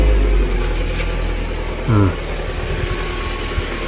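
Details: After replacing an old, long-creaking belt tensioner, the engine starts with one short chirp, then settles to a low, even rumble with no creak from the belt side; sounds healthy.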